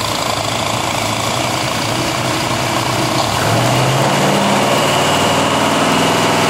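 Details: Carbureted engine converted to fuel injection, bench-run over 45 minutes: picks up after starting, then settles to steady even idle with regular beat and no misses; normal idle.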